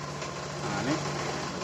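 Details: 2015 Honda Beat injection scooter, previously no fuel pump and no coil spark, told to need new ECU, after repair: steady, even idle with smooth low hum, no misses or stumbles; runs clean, no ECU needed.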